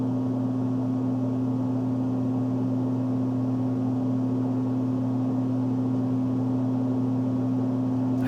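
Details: HVAC blower motor running after the run capacitor was replaced: an even, steady low hum with a mains-pitched drone and no rattle, surging or dragging; the blower is running smoothly.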